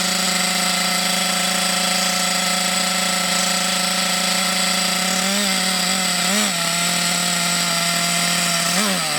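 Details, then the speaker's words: Thunder Tiger EB4 S2 Pro nitro RC buggy, eBay shed find stored for years, engine hot, reasonable compression; high buzzing scream then revs dip and surge, running a bit sporadically; possibly short on nitro fuel supply. "oh man that is brilliant that runs really really well yeah it's a little bit sporadic a little bit up and down but you got to remember it's been stuck in a shed for years"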